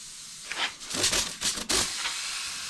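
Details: Old motorhome of unknown year, started with a jump booster; a sharp, airy hiss comes in uneven bursts, then settles to a steady rush from a found hole; plain air leak.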